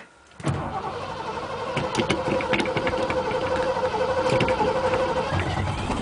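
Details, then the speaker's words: 1987 Ford F350, 351 Windsor V8, cold start after sitting two weeks, a couple of pedal pumps: brief crank, catches at once and settles into an even, rising idle, no misses or knocks, blowing gray smoke; normal cold start. "oh oh yeah she's belting some gray smoke oh yeah love that sound"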